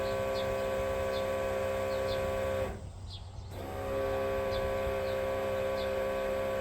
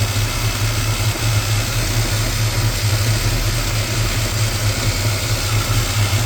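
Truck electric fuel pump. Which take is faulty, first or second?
first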